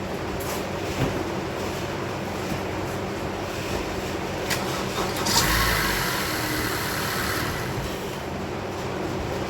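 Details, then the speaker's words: 2015 Honda CR-V 2.4 Earth Dreams engine cranking on a jump box (the booster itself somewhat drained), complaint of sluggish crank; slow laboring crank at about four beats a second, dim lights but it starts; weak battery. "kind of faded, kind of dim, but it starts up though, which is pretty fascinating."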